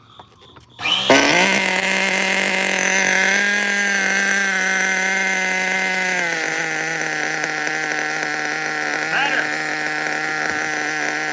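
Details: Small nitro RC engine on a test-fit carburetor, not yet hot: catches and settles into a fast, buzzy, slightly wavering idle that sags a bit; high idle, owner suspects a slight air leak, needs tuning.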